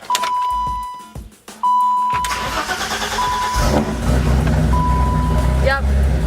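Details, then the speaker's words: BMW E30 after replacing the in-tank fuel pump (Airtex, original sending unit reused): chime, a few seconds of cranking, then catches and settles to a steady even idle; previously second starts cranked without catching, now starts normally. "okay that started pretty good normally whenever I started the second time it either tries like it's or it sounds like it's trying to start and never does and I have to stop and try again"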